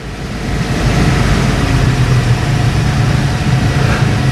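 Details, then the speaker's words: Bayliner cabin cruiser MerCruiser inboard, warmed up, idling out of gear: steady even low rumble with smooth regular beat, no knocks or misfires; ticking over cleanly, the speed normally used up the river. "so that's on idle now and that's ticking over lovely so that's what we want and most of the time when I'm traveling up the river is what I'd be on pretty much just idle like that"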